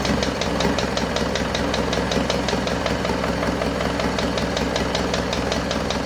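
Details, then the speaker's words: Isuzu Panther 2.5 diesel at its first start after an overhaul and turbo/intercooler upgrade, left assembled nearly 2 weeks, warming up. A sharp tick several times a second over a rough idle. The mechanic suspects the valve guide bushings have not fully settled. "masih ada bunyi tek tek tek dikit Lur Ya itu bisa jadi dari botolan masih belum balik dengan sempurna"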